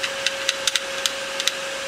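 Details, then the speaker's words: Hard drive in an old HP ProLiant server PC, just after spin-up at power-on: steady high platter whine with irregular sharp head-seek ticks during its quick startup disk check; normal behaviour. "it starts doing a quick disk check."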